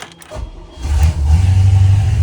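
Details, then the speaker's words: 1996 Bayliner 34 ft yacht, one of twin 5.7 L V8 engines, first start with water valve open and blower running: the starter whirs briefly, then the engine catches and settles into a deep, steady rumble; clean start. "And you can hear we got a running motor on that side."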